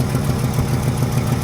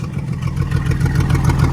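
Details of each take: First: Truck with a freshly rebuilt Carter downdraft carburetor, warm idle: steady, even low beat with no misses or knocks. Normal healthy idle; owner notes a miss under throttle and load, a big exhaust hole and heater hose leak, compression test next. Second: Truck with freshly ultrasonically cleaned, rebuilt Carter downdraft carburetor, idling well but feeling underpowered under load: deep, loud, raspy exhaust blare rising with revs, pulsing unevenly from a massive exhaust hole; owner suspects lost back pressure hurts performance.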